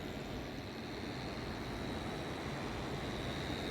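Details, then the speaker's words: AUX split AC indoor unit after servicing: steady loud rushing whir with a faint high whine and uneven roughness from the blower motor; abnormal noise attributed to a failing motor bearing, to be replaced. "This one coming from the motor. I have to remove the motor and check what is the problem. This is sure it's coming from the bearing."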